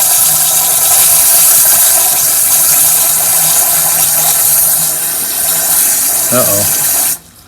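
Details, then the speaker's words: 1984 Pontiac Fiero, sat over 30 years, filling its empty cooling system with the engine run: steady hiss of warm water splashing onto the ground; a leak, possibly from a drain hole with a missing bolt. "uh-oh I think I hear water on the ground sounds like we got a leap"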